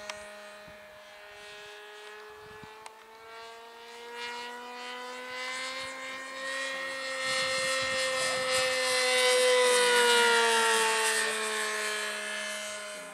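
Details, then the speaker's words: Model aircraft glow engine in flight, now much quieter: a smooth high-pitched drone rising and swelling as the plane passes, even and not harsh. Healthy running with muffler fitted. "oh you threw it right in the carburetor didn't you yeah quieter yeah sounds quiet now was going said man that's a loud a much quieter"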